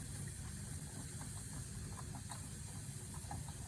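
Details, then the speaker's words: Wilesco model stationary steam engine found in a cupboard, last run about 1983, oiled with old 3-in-1 oil and first run in 30-40 years: boiler hums with steam pressure, and soft, even chuffing about four beats a second runs smoothly. "Can hear the the boiler starting to hum just like the Got some steam pressure. We're walking away."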